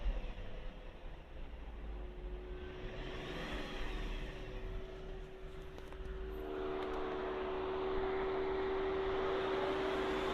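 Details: 2001 BMW 540i E39 M62TU V8 running with a steady high-pitched whine from broken timing chain guides; VANOS solenoid code and check engine light followed; guides visible through oil filler hole lacked plastic.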